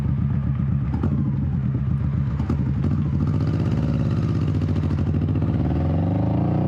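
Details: 21-year-old Honda Shadow V-twin after repacking exhaust baffle with new fiberglass, first test ride: deep, even thump rising smoothly pulling away, tamer, less raspy, deeper tone; normal exhaust note.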